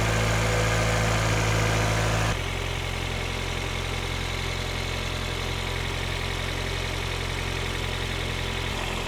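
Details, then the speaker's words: Engine idling in park about 10 minutes after replacing cheap supposed-Denso injectors with proper fuel injectors: smooth steady low hum at warm idle near 800 rpm, even pulses, no ticking or roughness; lower idle than ever. "Okay, it's been running about 10 minutes. It's idling lower. Hopefully you can hear that. Sitting at about 800 RPMs, which is lower than it ever was idling before while in park."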